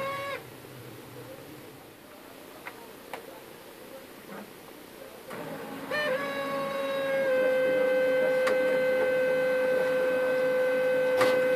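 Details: HP LaserJet 1320 at power-on spins up with a loud, piercing whistle settling into a steady high scream while printing still works; dry scanner motor bearing, fixed by oiling the motor spindle.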